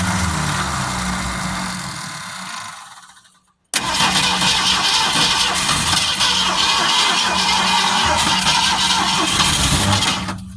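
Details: Original 1971 Ford Torino stored 25–30 years: long laboured cranking with fuel fed to the carburetor bowl and throttle pumped, then fires into a busy, rough run on 2-stroke-mix priming fuel; slow to start.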